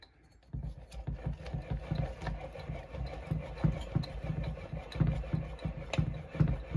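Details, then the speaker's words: Stihl MS400 chainsaw crank turned by hand after a crankcase flush with mixed gas: low gritty rumble with uneven clicks from worn crankshaft bearings, to be replaced. "So if it's really hard to do with, but anyway, I can hear a little bit of bearing noise."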